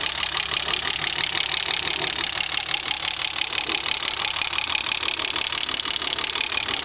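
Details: BMW E30 M20B25 with newly installed injectors and chip/ECU running rough; idle with busy, uneven rhythm and quick ticking about three per second; rough idle, cause unclear.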